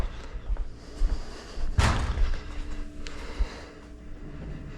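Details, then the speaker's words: 1966 Plymouth Belvedere on jack stands: dull irregular clunks as the raised front wheel is rocked by hand, from play in a loose front wheel bearing, with some tie rod and probable ball joint movement; the plan is to repack and tighten the bearings. "see how much play is in here U we got some tire rod movement probably some ball joint movement oh you hear that H bearings yep"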